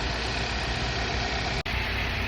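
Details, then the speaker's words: Car idling after misfire repair: steady even idle, smooth low hum, no stumbles or shakes; no misfires in live data, code scan clear, earlier rough vibration gone. "And before, earlier, the car had rough engine vibration, but now it's stopping. Code scan is clear, and the fire is gone."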